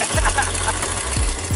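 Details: 2008 GMC Sierra V8 running with no mass airflow sensor fitted: uneven, lumpy idle beat over a steady low drone, with a suspected leak on one side; running rough, cause not pinned down.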